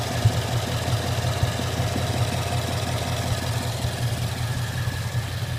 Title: Knocking noise on my mustang gt